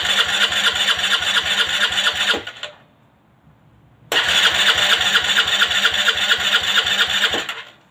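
Starter whirs with fast, steady compression pulses through two long cranking bursts, but the engine never catches: cranks, won't start.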